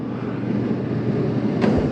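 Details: 2020 Coachmen Spirit 2454BH ultralight travel trailer, AC switched on at the thermostat with the quick-dump vent opened: an even, steady rush of air with a low hum and no rattles or squeals. AC airflow is normal.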